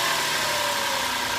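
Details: 2005 Audi A4 3.2: a steady idle with a busy, sewing-machine-like tick and a hiss over a faint low hum. An abnormal top-end tick; source unknown.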